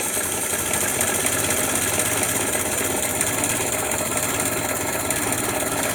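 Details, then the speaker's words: 103-year-old 1915 Ford Model T four-cylinder with four buzz-coil ignition, slowed to idle after start: light, even patter with no misses or knocks; healthy idle. "Slow the engine down to idle."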